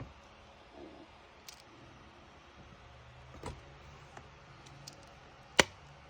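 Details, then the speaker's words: Sony Zeiss 16-35 f4 lens after repair replacing second light shield ring and second group assembly: autofocus on white wall nearly silent, faint ticks and one click, no grinding; fixed. "i think it's good i don't even hear anything when it's focusing anymore"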